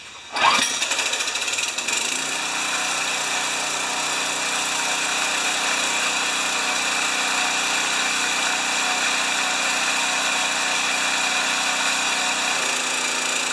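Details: Homelite pressure washer that sat a long time with a corroded tank, oil changed and filter clean, started on choke: the small engine catches after a brief rough start and settles into a steady, even buzz with no misfire, running normally.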